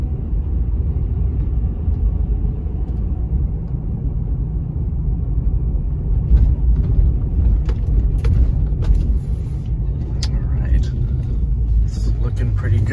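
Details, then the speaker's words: 2010 Ford F-150 4x4 after replacing the stabilizer bar links, on a test drive over the same bumps, heard in the cab: only a steady low road rumble with no front-end clunks; the fix is confirmed. "here those bumps that i hit earlier did not make any unusual clunking noises in the front end i realized that the camera's probably picking up more noise than i'm actually hearing in the cab"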